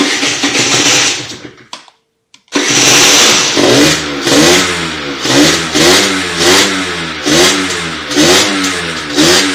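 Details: Motorhispania RX50 Racing / Peugeot XR6 two-stroke moped starting on choke after a side stand replacement, with cooling still not sorted: it starts, cuts out briefly, then hunts in uneven rev surges and won't idle steadily; runs poorly and needs choke.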